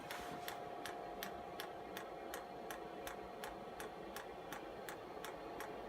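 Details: Chinese air heater bench test with makeshift air filter: sharp, even dosing-pump ticks about three per second while priming and bleeding air from the fuel line; heater beginning to fire.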